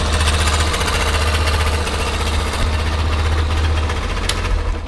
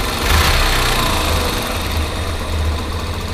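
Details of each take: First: Yamaha Factor 125 single after valve rocker adjustment: idles with a quick metallic tapping over a low, throbbing exhaust beat. Something seems to be knocking near the exhaust pipe or possibly inside; cause suspected, not confirmed. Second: Yamaha Factor 125 single-cylinder motorcycle idling after valve rocker (balancim) adjustment: steady low thump with no valve-train ticking, a normal smooth idle.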